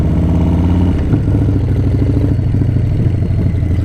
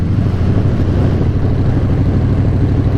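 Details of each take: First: 131 Breakout (M8) on a ride-along: a loud V-twin with a heavy, uneven thudding through the low rumble, a knock-like beat over the engine that sounds like engine knock; a knock-like engine noise. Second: 2018 Harley-Davidson Breakout, originally a 107 and now a 131 race motor, idling extremely hot; deep, loping, steady idle with no knocks or ticks as the engine drops its rear cylinder, sounding completely different from normal; rear cylinder deactivation.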